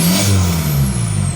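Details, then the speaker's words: Volkswagen Jetta Wagon with newly fabricated full exhaust, first start: deep, clean exhaust roar rising and falling with quick revs, no rattles or leaks; healthy exhaust note. "Yeah, give her some revs. Oh yeah, that sounds freaking great. Woo!"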